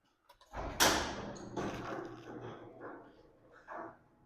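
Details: 18x8 CHI garage door, model 5983, after fitting new 13-ball-bearing sealed nylon rollers and lubricating the rail: soft, short rumble with no squeal, scrape or rattle; quiet operation.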